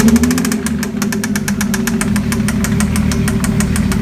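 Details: Mazda MX-6 / Ford Probe 2.5L petrol V6, just swapped in: a sharp, regular knock about six times a second over the engine hum at idle; cause unknown to the owner.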